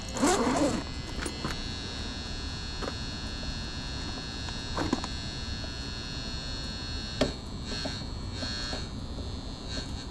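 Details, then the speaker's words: Gas furnace that works only intermittently: steady constant-pitch electrical buzz with faint clicks; tech suspects the 240 V relay sending 24 V to the ECM blower motor rather than the transformer; unconfirmed. "All right, that sounds, if that's a transformer, that's loud. Actually, I think it's that relay up there."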